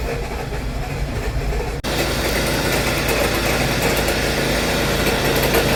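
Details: 2014 Hyundai Sonata GLS 2.4L: steady idle with constant low drone and faint whirring hum from belt front; bad alternator and belt tensioner pulley, fixed by replacing both plus drive belt.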